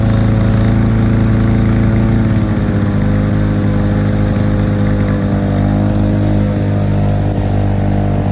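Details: 1987 Lawn-Boy 8073B two-stroke mower, first run after sitting almost a year, new greased capstan rollers fitted: steady even drone dipping slightly in pitch around two seconds, then holding under load; hard starting but runs fine.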